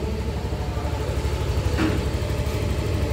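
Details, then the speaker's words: Yamaha Fino 125 scooter after repair of hard starting on kick and electric start, blamed on often-late oil changes: steady, even single-cylinder idle with no misses or knocks; engine speed now normal. "Yuk kita coba starter nah ini motor sudah nyala ya sudah normal"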